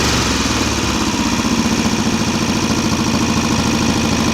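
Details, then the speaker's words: VW Type-3 Fastback air-cooled carbureted flat-four, first start after reinstalling the engine with loose cylinder heads retightened: steady fast idle with rapid even ticking. The valves are noisy; the owner thinks he misadjusted the clearance and must readjust it. "Valves are a little noisy. I probably messed up when I adjusted them, but it's running."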